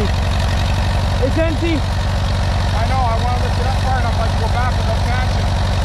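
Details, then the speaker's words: 1957 Allis Chalmers B-series tractor, sat a couple of years in snow, just revived: slow, lumpy idle at about three beats a second with uneven pulses; running rough, owner says cranky from sitting and needs more run time. "she needs to be running a little bit more because she's a little bit cranky because she hasn't been running a long time"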